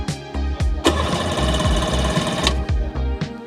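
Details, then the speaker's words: 1996 Sea-Doo HX 717cc, barn-stored for years with stale fuel and about 150 psi per cylinder: even, strong chugging about four strokes a second under background music as it spins over freely on the starter, with good compression. "it's got good compression which is good yeah um and it's cranking really well"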